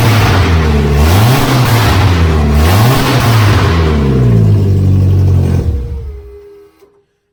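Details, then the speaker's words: VW Beetle revs up and down repeatedly, loud, strong and even, then shuts off. It now runs reliably after the long no-start; the alternator and throttle pedal work. "but wow yep it uh it's running now reliably which is something I've been working towards for a while and just couldn't understand why it was doing it s"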